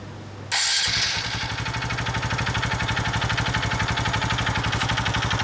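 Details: Honda Innova ANF125i at 80,000 km, no power or top-speed loss, no exhaust smoke, oil use 0.2 L/1000 km, valve clearance 0.1 mm: starts and settles to a quick idle with metallic ticking chatter; source not pinned down.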